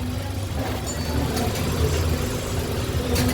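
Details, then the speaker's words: Car idling after clutch disc, release bearing and clutch cover replacement, which fixed a rattle heard on cold start that faded once warm: steady low idle, even and quiet with no rattle or knock; sounds healthy. "Wala, pag-gandar nyo, wala eh, no? Okay na, tahimik na. Sana wala"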